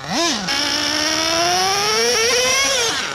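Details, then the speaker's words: Redcat Earthquake 3.5 nitro RC truck on 30% nitro fuel; shrill scream then pitch sags flat under load while two-speed engages; owner says definitely not lean given heavy smoke, low-end response good, suspects two-speed gearbox; bog under load. "the toothed fetus kicking ass wheels are two speeds engaging but it just bogs down I don't understand it's definitely not lean this is like the most smoke I've ever seen"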